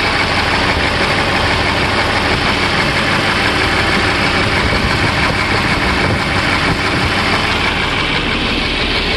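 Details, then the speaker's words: Motor grader diesel engine: rough, uneven idle with a lumpy beat about three times a second; a leaking injector is spilling diesel, so that cylinder does not combust properly, causing a misfire; fan belt also jumps slightly from wear. "inyector está botando gasoil y al haber esa pequeña fuga el pistón no logra bajar completamente y no hace la explosión bien ni la combustión Ese es el sonido"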